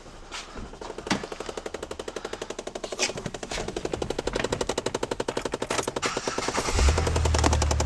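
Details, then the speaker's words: 2011 Chevrolet Impala, cold at around 29 degrees: rapid, even dry clicking about four per second from under the dash, blend door actuator skipping teeth, then it stops as the actuator apparently times out. "Some of you are probably hearing that noise right now going, "How?" See, it just stops. It times out."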